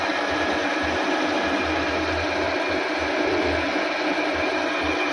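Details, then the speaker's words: Car AC compressor, still cooling but noisy from worn internal balls (gundu), spun with a drill press after replacing them: steady, even whirring hiss with no knocking, versus the old parts' loud clunking; smooth rotation. "Nah setelah diganti begini jadi halus nih."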